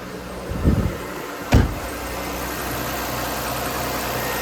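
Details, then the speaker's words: 2003 Audi A6 that sat for a long time, started with a jump pack: it catches with a couple of thumps, then settles into a steady, smooth idle with no miss, knock or visible smoke. "that wasn't too bad golly she's running very smooth see if we got any smoke"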